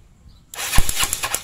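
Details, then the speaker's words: Yamaha Mio Sporty scooter that is hard to start: a short burst of rapid cranking pulses, and the engine never catches. Ignition was checked and is normal; the no-start is caused by too-tight intake and exhaust valve clearance, and the fix is a valve adjustment. "jadi kendala motor ini mati akibat karena klepnya rapat ya maksudnya susah hidup itu karena akibat setelan klep nya itu rapat ya"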